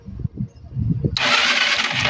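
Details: Euro 150 fuel-injected scooter that suddenly wouldn't start: about a second of quick whirring cranking with no firing. The fuel pump primes, and spark is present at the high-tension wire and spark plug.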